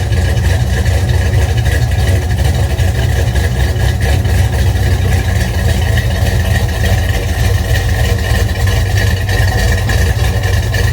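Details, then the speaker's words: 1971 Dodge Demon, rebuilt 1974 318 V8 with 273 heads, replaced cam, Edelbrock intake, Holley 750, cold start at 30 degrees: lumpy idle with sharp fast ticking puff; header leak from cheap kit gaskets, to be replaced. "And sometimes got a mist and exhaust leak, header leak. Let's get those two gaskets off there and put some good ones on it."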